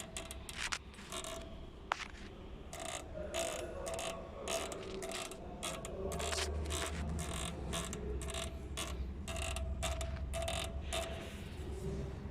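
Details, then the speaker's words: Skoda Octavia A7 at 34,000 km, brought in for a squeak when braking. A dry rhythmic creak about twice a second tracks each push as the body is rocked; this comes from a worn anti-roll bar link and is heard in the cabin over bumps. "Когда сидишь в автомобиле и едешь по определенным неровностям, то вот этот звук, он, в общем, он в машине слышится, как будто ты едешь на, я не знаю, какой-нибудь колеснице"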